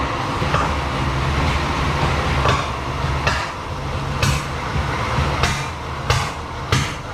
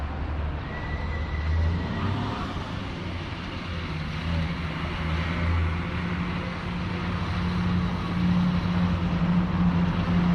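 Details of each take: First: 1937 Chevy barn find: rough lumpy run with sharp pops about once a second back through the carburetor, caused by crossed plug wires upsetting the firing order. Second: 1937 Chevy 216 inline-six barn find, driving slowly around a parking lot: low steady even hum with no stumbles; running good.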